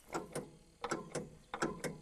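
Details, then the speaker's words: Old Caterpillar crawler not started since 1996, first start attempt: sharp paired clicks about every three quarters of a second with no cranking; batteries bubbling hot; owner suspects the starter grounding out or a bad ground; clicking, no crank. "i heard my batteries bubbling so they were getting hot that's for some reason that usually indicates a starters keep grounding out also could be a bad ground or something"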